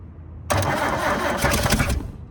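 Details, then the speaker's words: 1972 Toyota Celica, factory 18RC engine, first start after over 20 years in junkyard, gas poured down carb vent tubes: cranking bursts into about 1.5 seconds of ragged firing then dies. Catches briefly but won't keep running; needs more fuel/choke. "Oh, sweet. It's trying. Let's give it a little bit of choke. Let's try some choke. Okay, we need a little bit more gas."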